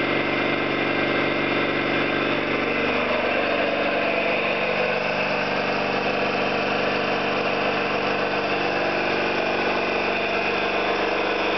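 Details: Orlík 2 JSK 75-2 compressor at one of its first starts after rebuild (concentric valves, seals), motor provisionally started in star for the house breaker; even chugging, steady hum, slight pitch shift as it settles, no knocks or leak hiss; normal running.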